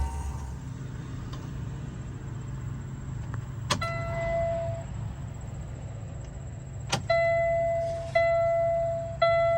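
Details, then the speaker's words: Cummins X15/ISX15 diesel after fuel filter and fuel water separator change: key cycled 3-4 times, engine off, lift pump gives steady low electric hum under dash chimes, priming and bleeding air normally. "You can hear that motor working. So again, cycle the key 3 or 4 times. Let that motor stop running."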